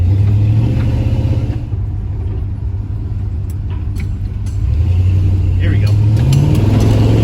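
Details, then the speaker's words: 1977 Chevy C20 truck with a long-standing miss, after adjusting ignition timing by ear by turning the distributor: deep engine drone climbing smoothly without stumbling or pinging on the freeway, clean healthy acceleration with much more power. "so oh that's so much better man i can't even tell you that it's just there right there [Music] i just gained back another 50 plus horsepower just by doing that man"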